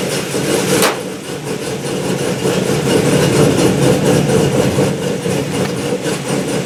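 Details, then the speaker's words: Gen 5 Camaro warm restart after adding homemade washers between each connection to cure a warm-engine low-voltage start: brief crank, immediate catch, steady even idle with no stumble; starting now normal. "I've been driving it all day, turn it off, turn it back on, starts right up, no hesitation, no low volt start."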